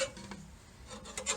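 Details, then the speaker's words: Gardena 380 C push reel mower after backlapping, blades treated with Fluid Film, paper test: quick crisp snips with no tearing or dragging, clean cuts on both sides; reel sharp, setting slightly tight. "a nice clip nice clip it's nice flip super-clean clips in the same"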